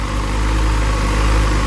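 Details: Motorcycle idling after rewiring the rectifier past a burnt connector; charging about 14.4 V, no voltage spiking, wires not hot. Low, even burble holding steady, no misses, surges or knocks; healthy idle.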